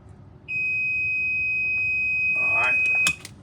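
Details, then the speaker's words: Fully charged EZGO lithium 48V golf cart that won't move, in reverse. A jumper runs from main positive to the orange/red-stripe wire on the charger plug, bypassing that safety. A steady beep of about 2.5 seconds is the reverse buzzer, showing the harness is powered. "now you heard the reverse buzzer, which tells you that I'm powering the harness up."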